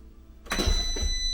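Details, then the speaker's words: Van diesel heater first power-up from a booster pack, fuel line not connected so no heat: blower spins up abruptly to a steady, clean high whine, no rubbing or rattle; fuel pump clicking not heard. "so anyways we do have power it's blowing um but we don't have the fuel line hooked up so it's not hot"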